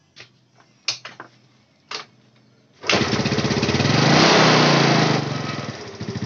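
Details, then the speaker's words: Yamaha Mio Sporty scooter, long unused, started and running: fast light "tik-tik" ticking, typically worn camshaft or rocker arm; valve clearance should not be tightened further as a fix. "nah disini Agan bunyi ngetik mas ya titik-titik titik-titik kalau bunyi tik seperti eating seperti ini ya ini biasanya sih noken-as atau pelatuk klep itu sudah aus"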